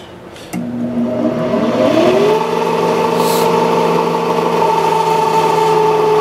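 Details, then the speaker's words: 1995 Sharp Comfort Touch 10,500 BTU window air conditioner at switch-on: a motor hum, then a rising whine settling into a steady, rough ringing from a worn, dry fan motor ball bearing; owner tries oiling first, and the bearings were later replaced. "that yeah that bearing sounds terrible that needs a lot of oil"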